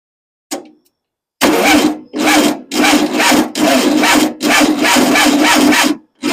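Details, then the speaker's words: Freshly rebuilt engine, first start attempts with suspected fuel pump problem: starter drags the engine over in slow, labored, weakening bursts, never catching; battery lacks charge; slow cranking from weak battery. "The batteries just doesn't have it. Doesn't have what it needs."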